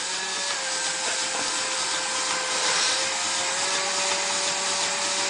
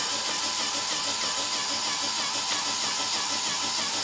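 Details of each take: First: Fischertechnik pneumatic hand arm pivot motor under the arm's heavy load: a steady high motor whine with gritty grinding, then sharp clicks as the gearbox shifts out of mesh again, so the attempted fix did not work. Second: Fischertechnik pneumatic robotic hand's small compressor: a constant high buzzing hum with no knocks or pitch dips; pumping steadily and normally.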